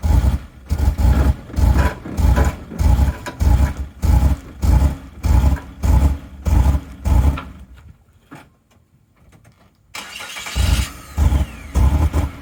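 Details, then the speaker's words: 2000 Mazda Bongo 2.5 V6 petrol at idle without revving: uneven chuffing surges about a hundred a minute, then it dies and restarts; too little power to drive onto a trailer; severe misfire and stalling, owner suspects the ignition leads. "There we go, you can hear the misfire right now without even revving it. It's trying to stall."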